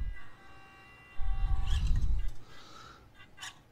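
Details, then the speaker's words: Atlas 6x6 RC crawler with stock ESC, compared against Furitek ESC: faint strained motor whine barely moving, then sudden loud surge; stock ESC cogging at low throttle. "see how how quick that jumps it's like it's not pulling it's not pulling you can hear it and then it and then it just goes"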